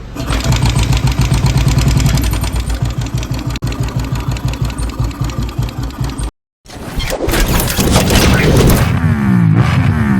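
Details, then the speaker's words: Royal Enfield Thunderbird 350 single: loud thump about 220 beats/min with clattery top end. Oil wasn't reaching the head and was very dirty, and the head valves were sticking. Noisy valvetrain from oil starvation. "और इसके अंदर oil नहीं चढ़ रहा था oil भी काफी गंदा था इसके अंदर तो कटा क्या-क्या है एक तो ये हेड के जो वॉल है ये ठीक है ये बिल्कुल ही अटक से रहे हैं"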